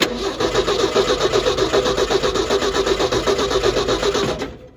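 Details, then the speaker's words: 1968 Ford F100 with 240 inline-six, sitting a while, starter jumpered at the solenoid: strong even cranking about four pulses a second with steady compression on every stroke; a healthy crank. "That's actually a pretty darn good healthy crank coming out of a motor that's been sitting a while."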